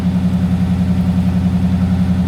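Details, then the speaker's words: 20-foot Daimler Majestic Major Hemi V8 limo idling while warming up; deep, smooth burble with a rapid, regular beat and no skips, a very smooth engine. Normal idle. "very smooth got to warm up a little bit it's a very smooth engine isn't it"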